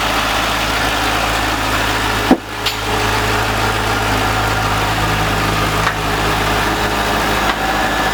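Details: C5 Corvette V8 first start after 4+ months off, following harmonic balancer and front subframe replacement: smooth even idle with steady low burble, no misses or knocks.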